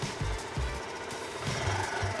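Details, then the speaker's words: Newer fuel-injected Honda Monkey 50cc that is still kick-started: soft, evenly spaced thumps at a steady idle, much smoother than the old Z50A; normal idle. "Jauh lebih halus yang ini, teman-teman."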